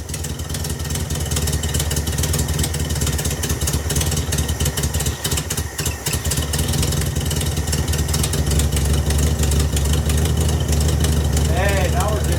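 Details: VW Beetle with newly installed Pertronix distributor and coil, timing being adjusted: uneven lumpy air-cooled idle, irregular beats about three per second, rpm hunting and faltering; rough running, cause not confirmed.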